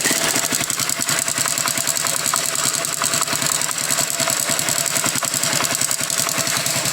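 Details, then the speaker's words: Honda Biz 100 idling, engine also smoking: a fast, even metallic rattle-tick, most likely (about 90%) a worn, slack cam chain. "mas esse barulhinho que apresenta na Biz 100 é corrente do comando tá muito provavelmente seja o caso dessa aqui é bem parecida é corrente do comando"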